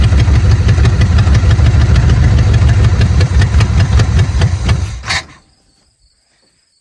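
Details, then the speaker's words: 1970 Chevrolet Chevelle V8, sitting since 1995, carburetor float now freed: lumpy, uneven beat with ragged firing for about five seconds, then it stumbles and dies as ignition timing is still way off; rough running from mis-set ignition timing. "Yeah, give me a sec, because I'm going to try to set the timing again. It's still way off."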